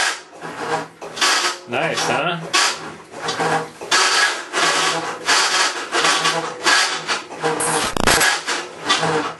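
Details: Maytag Centennial Commercial Technology washer, about 14 months old, overloaded for demo, agitating rinse water, recorded ~5 feet away: harsh rasping grind surges and fades each agitator stroke, ~every 1.5 s; agitation-drive grinding, cause unconfirmed.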